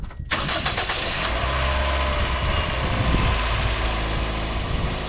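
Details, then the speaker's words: 2003 Toyota Echo with a missing, lagging engine, after new spark plugs, new ignition coils and a new battery: engine catches quickly and settles into a steady, even idle with no misses; check engine light still on. "that sounds better to me yeah yeah it do never miss anyone"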